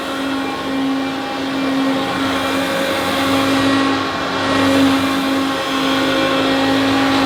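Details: Hoover Turbopower Boost U2784 Autoflex vacuum cleaner, original motor before replacement: loud harsh drone with steady buzzing tone and coarse rough edge rising and falling slightly; worn, rough motor.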